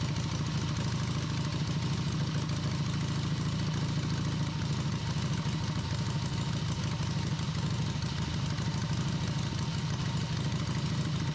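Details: Harley V-twin in an off-road trike build, first run after the owner's own engine rebuild. A steady, even, low loping idle holds over ten seconds without misses, with a carb fitted. It ran once the ignition timing was significantly advanced; normal idle.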